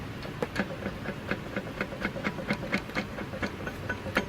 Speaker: That flywheel is broken. You can hear it. And based on the rust, that's a sign of the flywheel has come apart.